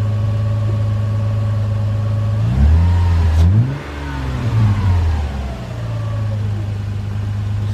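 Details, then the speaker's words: Lexus IS300 with under 69,000 miles, revved cold from idle: the engine blips up cleanly and settles back smoothly with no knocks or rattles, sounding healthy. "so as you guys can hear the car runs no problem I was a little worried ish I mean I wasn't revving it too hard but I don't like really I don't like reppin my cars when they're called but as you guys can tell the car sounds really healthy"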